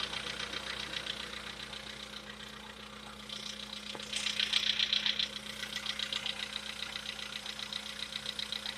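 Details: VW Polo Sedan, CFNA engine, knock; decarbonising tried as possible fix: quiet idle with a sharp, regular metallic ticking knock about three to four per second riding over it; clear engine knock at idle.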